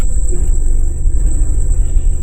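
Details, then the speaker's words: Dodge Caravan 2.4, after fix of loose AC compressor pulley: smooth deep idle in gear with AC on, no thump or whine from belt drive; noise gone after repair. "on I don't hear that noise no more there it's off turn it back on"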